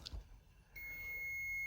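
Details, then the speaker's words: Porter Vanguard dental nitrous oxide and oxygen manifold, after the oxygen regulator is turned half a turn right so the gauge reads above green: brief handling noise, then a steady high-pitched alarm tone; oxygen high-pressure alarm. "For sure, it's beeping high."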